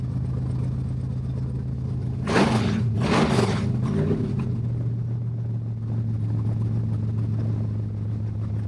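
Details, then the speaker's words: Stroked 400 big block Dodge/Mopar, first run after work, no brake booster or exhaust fitted yet, temp 180–200 with fan cycling, no leaks: deep steady rumble with quick throttle blips, even and clean, sounds good. "As you might imagine, I wanted to get this thing started, so I didn't care about putting a booster on yet. Sounds Sounds good."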